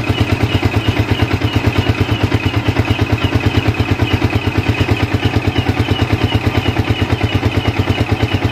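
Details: Yamaha Vixion single-cylinder after replacing the regulator/rectifier (kiprok), MIL code 46 cleared, charging at 14 V: steady even pulse about three per second, no knocks or misses; running healthy.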